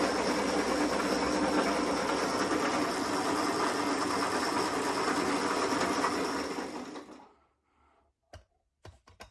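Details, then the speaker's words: Old zero-turn lawn mower converted to electric motors in place of engine and hydrostatic drives, speed on a potentiometer to the motor controller: steady whirring drive with even chattering beat about three per second, then winding down; chain drive noise, worn sloppy idler gear shaft noted. "It's a little bit noisy, but it's also what comes with a chain drive, is you get some of that noise."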